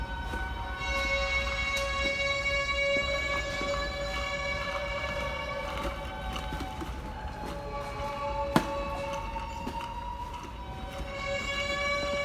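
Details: NYC subway train stopped at a red signal, York Street Station; loud steady high-pitched squeal with ringing overtones over a low rumble; metallic squeal of unknown cause.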